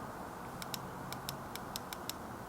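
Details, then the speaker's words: Motorcycle fuel injector off the throttle bodies, bench-tested with the bike's 12V battery: eight sharp, crisp solenoid clicks over faint hiss, showing the injector opens and closes electrically as it should. "can just hear that that's the solenoid inside the injector basically a switch opening and closing so we know that that injector is working electronically via the solenoid"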